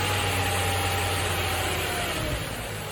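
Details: Nissan Fairlady Z Z33, VQ35DE V6, automatic, 310,000 km, just after a DIY engine overhaul: smooth, even low idle hum holding steady with no ticking or knocking. The engine runs healthy.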